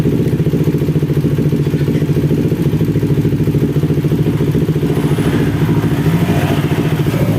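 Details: Carbureted Kawasaki Ninja 250 with boiling coolant in the overflow reservoir, after about 15 minutes running with fresh coolant: even quick pulsing idle with steady beat, no rattles, misses or hunting.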